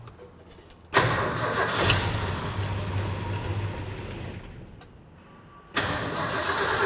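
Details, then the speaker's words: 1972 Ford F-100 V8, sat about 10 years: starter churns steadily several seconds, stops, cranks again with no firing; fuel supply plugged somewhere, line pulled. "all right we're completely plugged up somewhere then let's pull the line off and see what happens"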